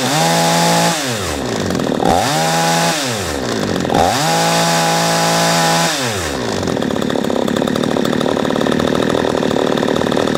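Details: P1PE P6220C chainsaw after idle-speed screw turned in half a turn to stop it stalling when set down: blips up to a high buzz three times and drops back each time to a steady tick-over that holds without stalling; idle is fine.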